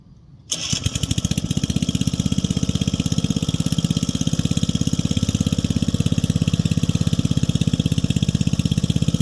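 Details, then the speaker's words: 1965 Rugg Carpet Cut riding lawn mower, repowered with electric start, started: engine catches after a brief crank and settles into a steady, even beat of about 200 per minute, no misses; sounds good, healthy. "All right, let's get it running. Hey, how you doing? Looking at that sound. Oh yeah. Sounds good."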